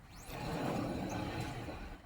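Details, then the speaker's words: 2005 Nissan Xterra jacked up with wheels spinning in drive: a loud, low, hollow roar swells and holds, coming from a worn wheel bearing. "I'm not sure if you guys can hear that, but it's roaring in there."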